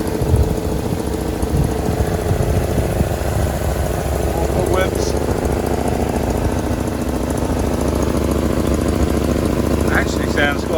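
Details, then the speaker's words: Old Mercedes 190E petrol engine, first start after sitting abandoned in a yard (manifold gasket on order): steady low idle with an even beat, some surrounding clatter, sounds sweet; normal idle. "The engine actually sounds sweet on it, to be honest."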